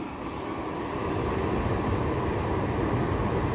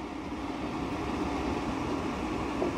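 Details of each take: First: New 100 CFM bathroom extractor fan running on a bench: steady airy rush that eases and drops in pitch when the hand is removed from the discharge, running freely with the same airflow and no back pressure. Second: New 100 CFM bathroom extractor fan on a bench: steady airy whoosh with low hum that speeds up and gets louder with a hand over the discharge, from back pressure of the restricted outlet.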